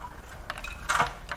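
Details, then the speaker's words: Blown GM 6.2L L9H V8 (Escalade/Denali) on teardown stand, crank turned by hand: bright metallic jingles and clinks like a cash register from broken pieces loose inside; internal debris rattle from engine failure. "it sounds like a cash register in there"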